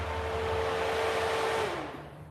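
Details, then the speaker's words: Drift truck intercooler fans: steady airy whir with constant tone, winding down smoothly when switched off; normal fan operation. "so you don't have to have that big voltage and amperage draw when the fans kick on and off and you know it's just just a more dialed way to do it"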